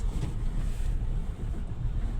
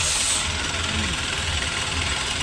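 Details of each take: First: Renault Kwid, 4949 km, check engine light blinking, in 2nd gear at full throttle: uneven, stumbling low drone, severe misfire, no pickup; engine fault (low compression from a damaged valve), head overhaul and new piston rings planned. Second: Renault Kwid after engine head overhaul, new piston rings and OEM sealant for misfire, low pickup, low mileage and check-engine light: restart shows steady, even idle with no misses, ticks or leaks; healthy engine, smoke still clearing after repair.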